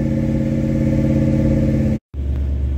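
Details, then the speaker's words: Firebird 6.6 litre V8 with dead battery, started in park on a jump pack at 75% charge: deep, steady rumble at even speed with no knocks or misses; starts and runs cleanly. "Right, come on, Firebird. Oh, there you have it. There's no doubt that started."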